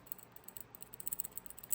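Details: Yamaha Banshee shift shaft bearing turned by hand: irregular gritty clicks and ticks, worn crunchy bearing.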